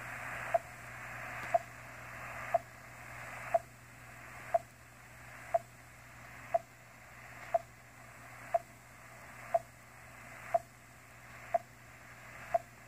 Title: Intruder Beeps on 30 meters